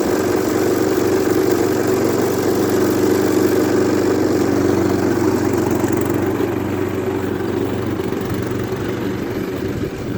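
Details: Efco LR lawn mower small petrol engine after front axle repair: steady even chug at constant speed with no knocks or misses; healthy running.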